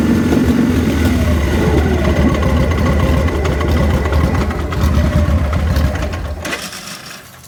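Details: Lumpy uneven V-twin idle, about three and a half beats a second, sagging and dying out: rough idle and stall on a 2000 Victory V92SC.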